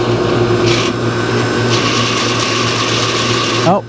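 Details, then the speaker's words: Home AC condenser fan motor after oiling with 3-in-One motor oil, unit level: quiet briefly, then a steady motor hum with a dry whirring rattle until it cuts off; worn bearing noise returned, motor needs replacing. "the noise is back looks like we're gonna have to order a new condenser fan motor for this unit"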